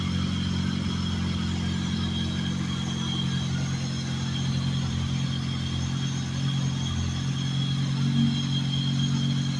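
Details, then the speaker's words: Mazda RX-8 swapped with a Honda S2000 F20 engine, rarely run since the swap and not yet tuned: smooth, even four-cylinder hum at a constant pitch, no ticking, misfire or rattle. Normal idle. "That you? Sounded really good."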